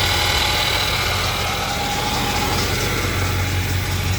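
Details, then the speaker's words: 1976 Cadillac V8 at warm idle after timing work: thin, steady high whine over the engine note from the failing alternator; replacement alternator awaited. "So you can hear that alterator that alterator right there"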